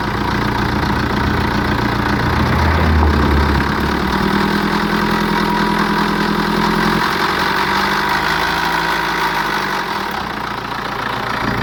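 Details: BMW 5 Series N47 diesel idling with busy metallic rattle over the clatter, before replacing worn timing chain and guides; timing chain rattle.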